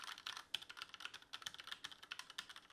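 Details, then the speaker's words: Tecware Phantom L low-profile mechanical keyboard with Outemu red switches: quick, crisp, even clacks with no hollowness or mushy thud. Normal mechanical keyboard switch sound. "the actual keys as you can hear sound really good there's not a whole lot of like hollowness to them they feel nice they feel responsive they definitely don't feel mushy and i would say they sound pretty nice too"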